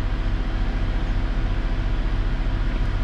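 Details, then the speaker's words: Vauxhall Insignia after temperature sensor repair, cold engine with gauge reading 50 degrees, radiator fan still running while ECU adjusts: even low idle pulse about 3.5 beats per second with fan whoosh; smooth normal idle. "the radiator fan is still going but if I remember quickly it takes a little bit of while for it to kind of figure out what's going on"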